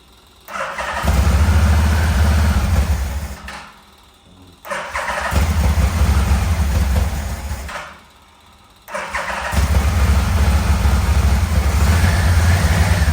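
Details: 1987 Yamaha Venture Royale 1300cc motorcycle, first run in a long time, throttle cable not yet connected: engine catches in three short bursts, low uneven beat with brief stumbles; rough idle with occasional misfire, owner suspects a remaining wiring issue.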